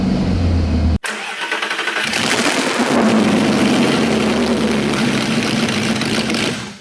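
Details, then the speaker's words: 2015 Audi R8 manual, 150,000 miles, first start after engine rebuild replacing failed engine: quick crank and clean catch, brief rev, settled even idle; blew out old burnt oil from failed engine, no weird noises, fired up quick and happy: normal start-up. "did it make any weird noises no it blew out some of the old awful burnt oil from the failed engine but okay they fired up really quick and happy so that's it that's a good sign"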